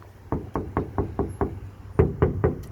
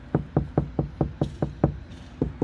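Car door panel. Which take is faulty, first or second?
first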